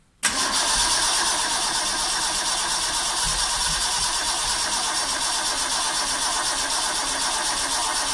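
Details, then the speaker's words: Vauxhall Chevette (HSR replica), unstarted for years; sluggish starter, engine earthed directly as body earth suspected bad, ignition timing and firing order later adjusted; engine catches almost immediately and settles to a steady hissy run. "I'm just gonna give it a try very sluggish starter a little mess around with batteries battery connections and stuff"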